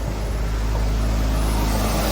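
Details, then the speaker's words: BMW E36 just started after a new fuel pump and fuel lines in a fuel and coolant refresh, coolant about 132°F, just above cold: steady, even low hum with no misses, knocks or ticks; normal idle. "Alright. Now we just sit here and let it run. Cool. Alright, so I got the car running."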